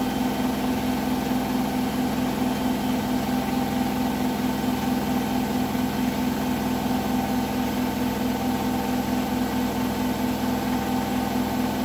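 Steady high-speed spin hum with a faint, loosely regular thump about twice a second riding on it; knocking in spin, cause unknown.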